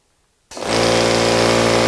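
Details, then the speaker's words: Old piston air compressor running, measured about 87 dB a few feet away (versus 67–68 dB for a scroll compressor): loud, even, fast pumping drone with steady buzzy tone; normal running. "so the eastwood compressor was right about 67 68 decibels something like that and we were at 87 decibels a few feet away from the piston compressor running so it's a pretty big difference"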